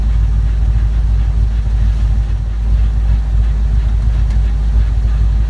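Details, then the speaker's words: S10 Blazer with swapped 4.8 V8 and T-5 transmission, new U-joints and rebuilt transmission mount, running in 3rd gear with the rear end under load while warming up: deep drone with gritty grinding; owner suspects the T-5 internals or an axle bearing. "almost sounds like a grinding and I cried a war possibly like a bad axle bearing or something see here some kind of weird noise coming from the [Music]"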